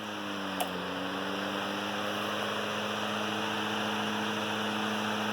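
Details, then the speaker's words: Antique Emerson 19646 12-inch fan, circa 1918, with replacement straight blades, running on medium: steady, even motor hum with smooth airy rush, no knocks or rattles; smooth, healthy running. "Let you hear how just a really smooth running fan."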